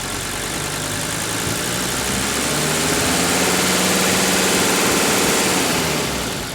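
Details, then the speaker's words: Mercedes OM617 turbo diesel running on diesel purge: even patter at idle with no uneven knock, comes smoothly off idle then settles, no smoke; engine running sweet. "Now, I've often laughed when I said I wish I could run my diesel on diesel purge all the time, because there's absolutely no smoke back there, and just look at how smooth this engine idles."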